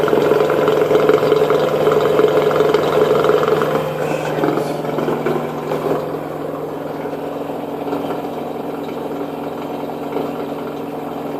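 A steady humming spin with a rough, rhythmic rumble on top, about three pulses a second.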